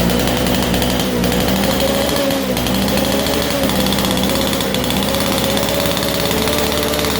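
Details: 1947 Chicago-made two-stroke Mall 6 ft chainsaw, barn find unrun for over 40 years, first start on a cold day; loud, raspy two-stroke buzz holding steady pitch without stumbling, now running and idling normally.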